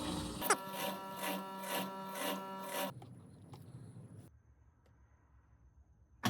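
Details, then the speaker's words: GE top-load washer with bypassed lid switch, lid locked: steady motor hum with soft regular pulse about three seconds then fades; drain pump working normally. "Here we go, lid just locked. Now the washer pump is on."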